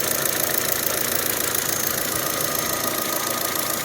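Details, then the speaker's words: 2008 Saturn Astra just started after a throttle body replacement, slightly rough at first, thermostat not yet open: fast, fairly even light ticking over the warm-up idle, which is the normal clicking of the fuel injectors. "I can hear the injectors clicking"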